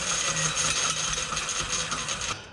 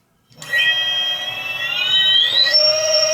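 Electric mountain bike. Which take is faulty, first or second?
first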